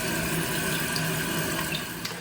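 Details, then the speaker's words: Toilet refilling after the vibrating water restrictor washer under the fill valve was removed. Smooth, even rushing water with no buzz or hum, so the vibration noise is fixed. "Just again going to push down. Well, it's not vibrating anymore. Well, that's interesting."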